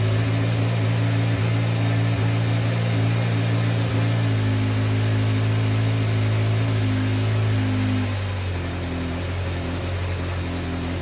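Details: 1986 Yamaha FZ600 four-cylinder, not run for 15–20 years, with fresh oil and fuel just put in the carburetors, on its first start of the restoration: even burble holding a steady idle, then settling slightly lower. It runs cleanly, though a fuel leak appeared.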